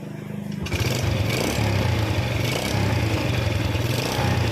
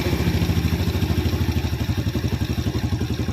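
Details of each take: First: Yamaha Vega R New motorcycle: idle hunts up and down then engine dies; valve clearance closed up too tight by itself, attributed to carbon buildup from smoking engine, low oil and overheating, causing compression leak. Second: Yamaha Vega R New motorcycle after resetting too-tight valve clearance and adjusting carburetor idle screw: even steady thump idle, no hunting, does not stall; normal idle.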